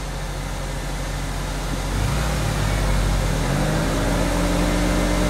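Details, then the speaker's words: Car on jack, right side raised, in gear at slow wheel speed: low steady droning hum over the engine that swells with wheel speed; right front wheel bearing is bad. "you definitely hear the noise on this side this side jacked up so that means this particular case the right front wheel bearing is bad"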